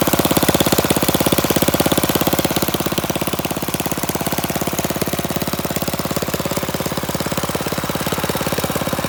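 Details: Flathead Briggs single-cylinder minibike engine, open exhaust, after mixture screw set about a half turn out, slight throttle: fast even popping beat with sharp bark, running steadily; normal running.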